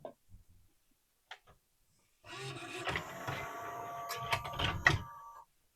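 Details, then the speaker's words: Pioneer CLD-3090 laserdisc player from July 1991, after a new loading belt and cleaning off old grease: smooth motor whir with light clicks for about three seconds, stopping cleanly without slipping or straining; the tray loads normally. "Tada. It was the belt and tons and tons of old grease."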